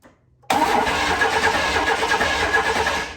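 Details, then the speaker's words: 1995 Chevy K1500 4x4 first crank after sitting years: rough cranking about three seconds, turns over but won't fire; next step cycling key to run fuel pump, cause unconfirmed. "Oh, that sounds terrible. Should I try pushing again? No. No. Turn the cycle the key a couple times, let the fuel pump run."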